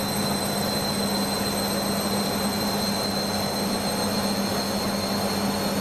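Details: Beko washing machine, full load of dark clothes, Ariel cap detergent: steady high whir of fast drum spin with constant low drone and no beeps; spinning on despite heavy suds lock.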